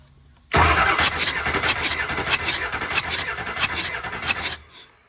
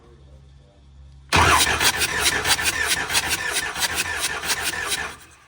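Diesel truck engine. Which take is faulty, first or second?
second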